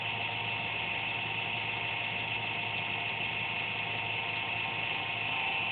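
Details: Computer making an intermittent buzz once or twice daily, performance unaffected: a thin, steady high buzz with almost no low end; the owner suspects the fan, source uncertain.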